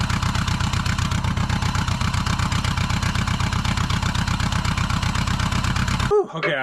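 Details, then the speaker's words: Bug-eye Subaru WRX with a JDM AVCS EJ20 swap, first start after dolly towing: fast, heavy banging about four per second under the car; first thought rod knock, but it is the disconnected driveshaft flailing in the tunnel. "uh i thought the motor had a rod knock for a minute sound like a bag of rocks back there but the drive shaft that i disconnected to tow it and uh just on a tow dolly is just wanging around down the tunnel"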